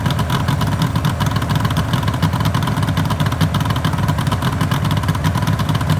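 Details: 1974 Suzuki GT750L water-cooled two-stroke triple, running after a full rebuild from cartons: busy, crackly, steady fast idle with a dense buzzing exhaust pulse; sounds healthy.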